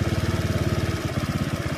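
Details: Carbureted motorcycle fitted with a TPS sensor on the carburetor, idling while the TPS is connected and disconnected; RPM rises with it connected. Even exhaust pulses at about ten a second that settle and pick up slightly. Normal idle.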